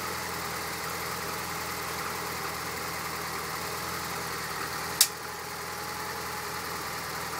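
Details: Lotus Esprit SE on cold start: quiet, steady idle with a single sharp tink around five seconds, recurring until warm; sounds like an electrical spark but none is seen, owner hopes it is exhaust expanding as it warms, unconfirmed.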